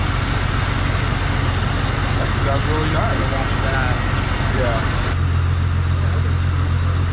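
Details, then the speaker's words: Jeep XJ on its first start after a cylinder head job: rough, lumpy idle with an irregular stumble; the OBD2 reader showed a cylinder 6 misfire and later a cylinder 6 injector open circuit. "It was at that very moment that I started to realize that it was misfiring. Sure enough, plugged in my OBD2 reader, cylinder 6 was misfiring"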